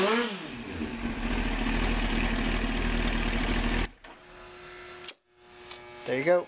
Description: Showing my 2001 Kawasaki Ninja ZX-9 starting from completely cold, having not been started in a few days.